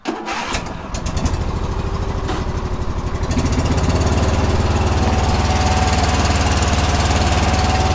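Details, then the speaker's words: John Deere single-cylinder engine, 472 hours, after new spark plug and fuel filter (plug fouled, filter dirty): catches after brief crank, steady even beat without misses or knocks; normal start and idle. "this has been a good John Deere but it said they said it runs fine so I'm just going to run"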